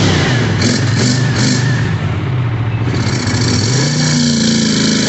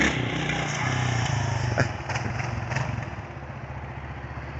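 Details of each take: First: Twin on first run after kit and cleaning: idles fairly smoothly, then breaks into uneven spitting and stumbling as revs rise; owner suspects lean popping, cause unconfirmed. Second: 1992 Kawasaki KLR650 single after carburetor overhaul, electrical issue from fried wire harness still unresolved: fast idle thumping, picking up cleanly with each blip, no misfire or stumble; runs healthy and torquey.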